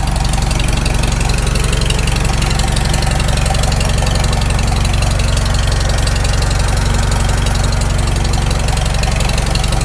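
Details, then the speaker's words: Farmall Super M tractor, first start after full engine rebuild, initial carb settings, still cold: steady even four-cylinder idle, about four firing pulses a second, no knocks or misses (owner expects knock once warm); normal idle. "i can't hear any knocks yet oh it's still cold it'll knock once it warms up"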